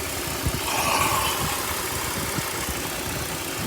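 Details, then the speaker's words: 2004 BMW 530 running extremely lean on both banks: uneven, lumpy idle with hissy air noise, running worse as soapy water is sucked in at the DISA valve; rough idle from an intake vacuum leak. "and you can see it running worse I'm trying to get some bubbles on there so you guys could see it but it's literally sucking in the water see it literally and hear it sucking in the water on the soap"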